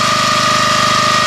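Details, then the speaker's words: 1981 Honda F200 garden tiller, cold start after sitting a year, warming on partial choke: a steady engine with a thin high hum and a soft rubbing grunt, the tine drum brake normally dragging slightly. "And that noise you hear, that kind of grunting noise you hear, is the way that the drum brake works inside of here to control the time. It's always somewhat slightly engaged, just a little bit of friction."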